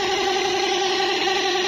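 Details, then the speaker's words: Motorcycle speedometer gear drive whines steadily with a hard pitch while the wheel is spun by hand, which makes the needle stick; the grease inside has dried out, and the fix is applying fresh grease. "तो इसको खोल कर आपको बताते हैं कि किस वजह से ये आवाज़ करता था। ये दोस्तों इसकी डावल आ गई, ठीक है। गेयर ऑयल भी इसको बोलते हैं।"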